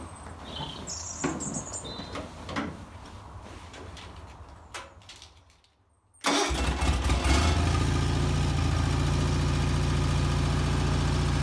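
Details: Bolens HT20 garden tractor on a test drive after finding and repairing a flat rear left tyre; engine catches and settles into a steady, even chug about three and a half beats a second, running nicely and healthy.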